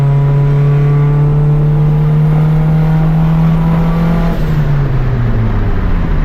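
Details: Turbo Honda Civic with fresh built D16 single cam on road test after ignition fixes: note climbs cleanly through revs, then drops with the shift, no breaking up; no longer cutting out at any rpm, though logged rpm still scattered.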